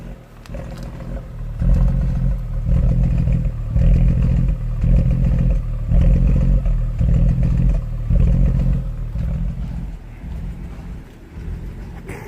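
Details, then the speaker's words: 2013 BMW 135i F20 N55 with Valvetronic fault codes, during diagnostic Valvetronic lift adaptation (450 cycles), heard from exhaust: idle surging slowly about once a second, lumpy like a misfire; uneven idle from valve lift cycling. "so it looks to me like it is just idling and is just going with the valves from um with the lift position with the valve tronic going from Maximum to minimum"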